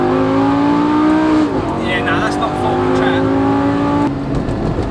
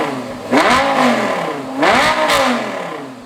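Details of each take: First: Lamborghini V10 revving after a backyard repair: it sounds lumpy and thin like a V8 and lacks power. A cylinder or two is suspected out; the owners suspect a coil pack or wrongly done spark plugs. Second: Lamborghini V10 after the spark plugs were redone, which had caused a misfire and spitting: two throttle blips rise crisply and fall evenly with no misfire, full V10 power restored.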